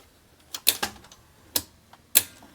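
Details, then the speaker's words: National NV-8500 editing VCR on its side with boards open: sharp, uneven clicks and clacks as transport drives against a stop; mechanism jamming, suspected lost tape, broken part, or faulty mode switch. "the mechanism seems really jammed does not want to move in the direction that the motor's trying to turn it that's weird yeah may have lost the tape then yeah it is super jammed up"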